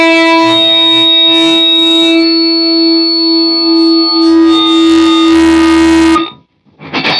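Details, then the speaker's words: 2011 Rickenbacker 360/12c63 twelve-string through amp with noise gate engaged: steady loud ringing tone with bright overtones, then abrupt cutoff from the gate; constant feedback squeal whether played or not. "you're going to hear how bad this thing squeals all the time whether I'm playing or not"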